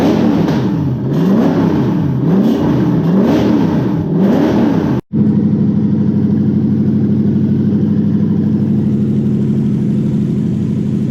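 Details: Toyota 1UZ-FE V8: revs rise and fall smoothly several times, then it holds an even, steady idle with no knocks or misses.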